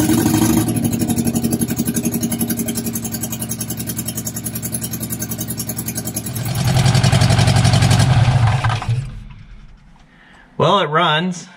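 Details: Barn-find Austin-Healey Sprite, fuel from a jug, chokes held up, exhaust manifold only with no exhaust system: steady cranking chug, then it catches and revs smoothly under throttle; healthy start and idle.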